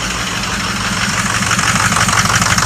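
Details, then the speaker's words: 2006 diesel truck idling, diagnosis showing IPR at 84% and cylinders 1 and 6 dragging: rapid puffing, ticking hiss over steady rumble from an exhaust leak at a broken pipe. "Oh, that's leaking exhaust like a mother. I can hear it right now."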